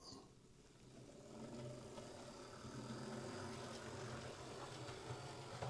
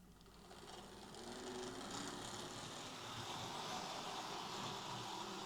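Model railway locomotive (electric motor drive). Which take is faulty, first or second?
second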